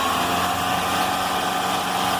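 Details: Car engine after fitting a new crankshaft accessory belt: smooth steady hum with no squeal or chirp; the alternator bearing is fine, the old belt was the cause of the noise, now fixed.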